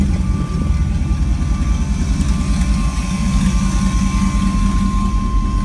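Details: LS-swapped OBS short bed truck after earlier fuel injector and fuel leak problems: V8 holding a steady, lumpy idle with a thin, constant whine on top; it keeps running without dying.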